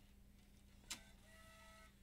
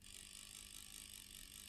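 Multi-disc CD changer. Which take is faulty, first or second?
second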